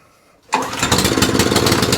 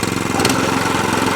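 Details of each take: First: Qualcast 14sk Suffolk Punch cylinder mower running on the bench with a bit of choke and revs. The small single-cylinder engine settles to an even, fairly fast patter, but the output shaft does not spin; the belts are fine, so the fault is between the engine and the output shaft. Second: Qualcast 14SK Suffolk Punch cylinder mower, whose roller and blade were not driving, started on the bench with a bit of choke: its small single-cylinder engine pops along at a steady, even beat with no rattles or grinding.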